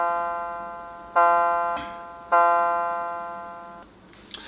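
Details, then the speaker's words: A NuTone LBC55 electronic musical door chime, working again after repair, plays its 12 o'clock clock chime as two clean, sustained bell-like tones decaying evenly with no crackle or warble. "can see our lbc 55 is working again that was the 12 o'clock midnight or 12 o'clock noon chime"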